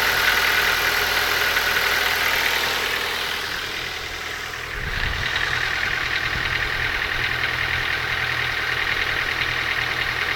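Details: Ford Focus 2 engine at idle with a tapping knock about three per second from inside the engine; source not pinned down.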